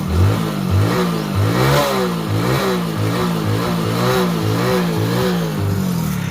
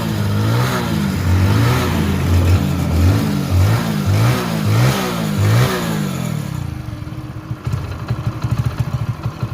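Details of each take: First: Hero Passion Pro after full engine rebuild, trial revving: single-cylinder engine with fast buzzing rattle following engine speed; cracked front number plate shaking up and down, no other noise from the engine. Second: Hero Passion Pro after full engine rebuild: crisp repeated throttle blips rising and falling cleanly, then a steady even idle with no knocks; sounds far better than before the work, healthy.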